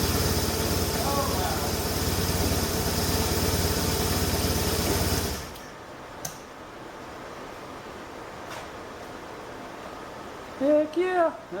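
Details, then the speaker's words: 1989 Hoverstar 2+2 hovercraft with BMW engine conversion, first start inside the hull after the front engine mount was redone: steady, even idle with a smooth low hum for about five seconds before shutdown; didn't sound bad at all. "that didn't sound bad at all"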